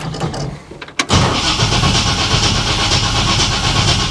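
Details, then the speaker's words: 1955 Chevy Nomad gasser V8 out of winter storage, after finding starter bolts only finger-tight: brief crank then catches cleanly into a steady even rumble, no grinding or clicking; starter cranks normally. "I think it cranks all right maybe we'll give him a little fuel"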